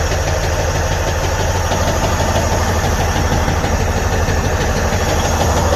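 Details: Detroit DD15 truck diesel at idle with a loud, fairly regular deep knock about three per second; oil pressure reads good, so the fault is a defective connecting rod bearing.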